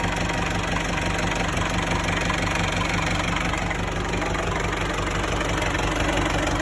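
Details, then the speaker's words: 1994 Isuzu Panther diesel with a thermostat refitted, at 82 °C: steady, even idle clatter with no misses or surging and no smoke; idle and valve adjustment still pending, nozzles possibly next. "Suara mesinnya seperti ini."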